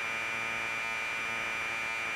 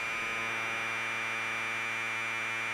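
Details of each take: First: Commodore 1530/C2N datasette playing a program tape with the head azimuth screw deliberately turned well off axis; harsh buzzing data tone with steady high whistle, dull and smeared: misaligned tape head azimuth. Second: Commodore 1530 datasette playing tape during head azimuth alignment by ear: steady, even high buzzing data tone with no wavering or dropouts after the screw is backed off from the bad setting. Alignment is close enough for the program to load.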